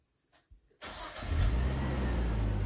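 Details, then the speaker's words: Nissan R34 GTT with repaired RB25DET NEO engine, Link ECU fitted, pre-dyno: short starter whirr, fires almost instantly and settles into steady idle; clean quick start. "Told you it started first"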